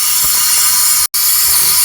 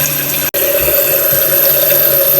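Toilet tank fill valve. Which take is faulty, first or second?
first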